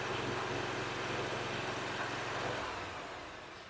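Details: Toro mower with Kawasaki engine after new carburetor and oil change, started on choke: steady, even beat for a couple of seconds then fades off; running healthy, some smoke from earlier flooding.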